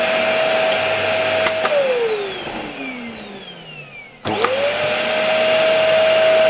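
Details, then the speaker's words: LG V-3340D vacuum cleaner after its loud-running motor was replaced with a new no-name Chinese motor: smooth, steady whine that winds down when switched off and spins back up to the same even pitch, good suction, no smell; normal running. "Okay, I think it works very well. It doesn't stink. It has very good suction."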